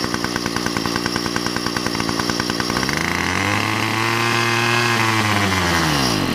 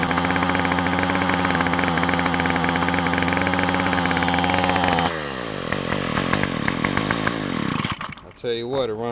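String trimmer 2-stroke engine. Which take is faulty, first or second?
first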